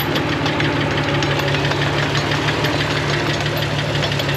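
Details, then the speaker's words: 2000 Jeep Wrangler TJ Sport in four-wheel low, third gear, with the wheels turning and the transfer case quiet. Rapid rough clicking of about three a second sounds over the drivetrain hum, traced to a ruined double cardan joint on the front driveshaft. "here we are now and four wheel low third gear everything's turning and there's some definite noise definite bad noise [Music] but it almost sounds like it's inside the drivetrain really"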